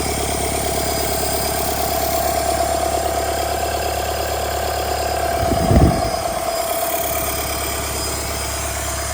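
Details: Rebuilt Doosan D34P diesel for a Bobcat S770 track loader, running test after rebuild: steady even clatter at idle, then a short clean rev rising and dropping back smoothly, no knocks; healthy.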